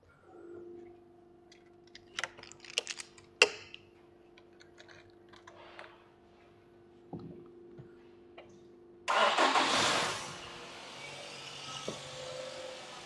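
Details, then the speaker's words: Nissan X-Trail QR25 first start after head gasket replacement: handling clatter, engine catches with a burst, small splurt of fluid, settles into steady even idle hum, no knocks or misses; normal idle. "yeah I did just watch a little bit of that splurt out as um it started up but at the moment everything's ticking over nicely"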